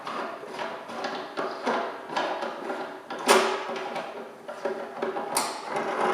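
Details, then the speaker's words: Balanced Body Pilates studio knob: repeated scratchy creaks about twice a second as knob loosens and tightens, dry threads; fix is wiping threads with a dry rag and spraying a little silicone. "If your knob is making a lot of noise as you loosen and tighten it, it's a pretty easy fix, okay?"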